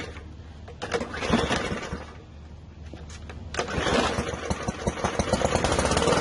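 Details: PowerSmart lawn mower after a no-start and oil leak repair, new primer line fitted and refuelled: a few sputtering catches, then the small single settles into a quick steady popping run around three beats a second; starting and running fine.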